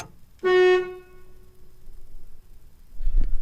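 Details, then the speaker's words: Route 66 Buick horn gives one short, clear blast while the horn button parts are apart and the contacts are bridged by hand; the horn itself works fine, but how the actuation assembly goes back together is still being figured out. "well the horn works okay we just need to figure out how to work it up then"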